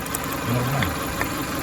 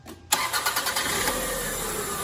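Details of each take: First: 2000 Toyota Camry four-cylinder idling with cylinder 3 misfire (P0303): uneven, stumbling idle with irregular knock; swapping injectors 3 and 1 moved the misfire to cylinder 1, confirming a bad injector. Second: 2000 Toyota Camry four-cylinder with a cylinder 3 misfire (P0303), after replacing the faulty injector: starter cranks about a second, the engine catches cleanly and settles into a smooth, even idle.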